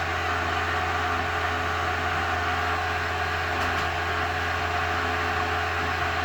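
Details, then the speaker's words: Restored Eberspächer BN4 gasoline heater from a VW Thing after switch-off: combustion rumble has faded and flame is out, leaving steady even fan hum during cool-down; normal run-on. "You can hear the rumbling going away, which is the fire inside of the combustion chamber. Rumbling's completely gone. Fire should be out. Now it's just cooling it off."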